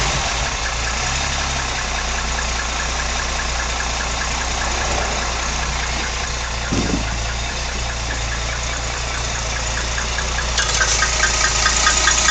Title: 64 rambler odd engine noise